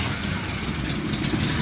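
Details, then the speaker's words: 1971 Chevy C10 250 inline six with HEI ignition, manual, clutch in, fires right up on the key without pumping; steady even but slowish beat, idle slightly low (target about 700–800 rpm), about to be turned up; low idle. "He just reached over to hit the key and it fires right up. But as you can tell, the idle's slightly low, but we're going to turn it up just a little bit."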